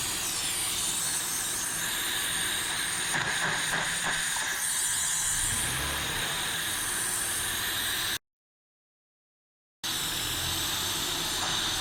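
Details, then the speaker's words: 2004 Honda Accord V6 running while Seafoam is sucked through an unclamped vacuum hose; loud steady hiss with a brief gurgle as liquid is drawn in, engine almost dying if it sucks too much. "you gotta be kind of gentle with this thing, because if it sucks too much, it's gonna turn off. Almost wants to die."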